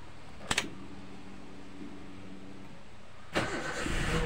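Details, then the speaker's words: 2008 Toyota Avanza: after the engine has been off 5–10 minutes, and worst in the morning, a short click then very long cranking before it catches; restarts immediately after running are easy. Long cranking before start. "Nah jadi kalau kita matikan kita tunggu sampai 5 menit ya 5 menit atau 10 menit itu nanti starternya seperti itu lagi teman-teman panjang sekali untuk starternya jadi ee pada saat setelah berhenti itu sangat panjang starternya ini kita coba E starter kembali"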